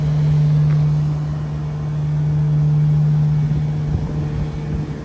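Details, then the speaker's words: 1993 Ford F-350 crew cab long bed, first drive after sitting 10 years, with new fluids, battery, gas and tires: steady, low, quiet drone, running smoothly. "Got the old girl running. First time in 10 years. She looks so good on the new wheels and tires. Super quiet too. It's running really smooth."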